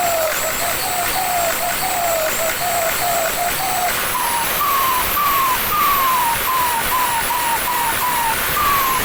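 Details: After replacing the turbo housing, a loud high whistle rises and falls with revving; the turbo is spooling normally.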